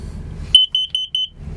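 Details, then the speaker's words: 2004 Chevy Express 3500 Roadtrek Popular 190 combined smoke/CO alarm (Kidde) test with a finger over the buzzer: four muffled, loud high-pitched beeps about a fifth of a second apart; the unit works. "I'm gonna keep my finger over the buzzer so it's not too noisy. So we'll verify that it's working."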